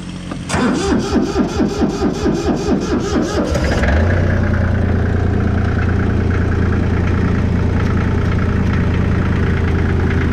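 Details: Allis Chalmers 5015 diesel tractor after water was found in the fuel and purged from the lines: regular cranking for about three seconds, then fires cleanly into a steady, even diesel idle; normal start.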